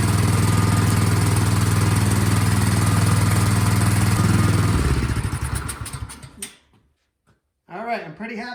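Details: Craftsman snowblower small engine after carburettor cleaning, primed, half choke, partly reassembled test start: steady, even fast beat for several seconds, then winds down and stops; normal running.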